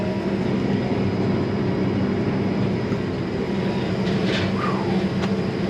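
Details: Case 8250 combine after gearbox repair, new rotor speed sensor now reading, feeder house and separator engaged: steady, constant-pitch threshing drive drone, no knocks or rattles; running normally.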